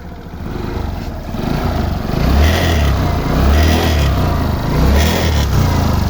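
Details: Motorcycle: a light, uneven tick sits over the idle and continues as the engine revs; the cause of the ticking noise is unclear.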